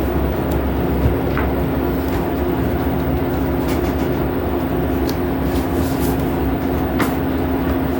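A steady heavy rumble with a faint hum runs throughout the cycle, the drum shaking abnormally; the cause can't be pinned down by ear.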